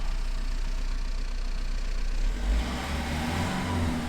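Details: 2010 Renault Mégane 1.9 dCi diesel after repair of a P0090 crank-no-start caused by a bad fuel flow solenoid valve wire; the solenoid current rises only slightly on revs. Pulls smoothly from a steady idle into a clean rev around two seconds and settles back; healthy.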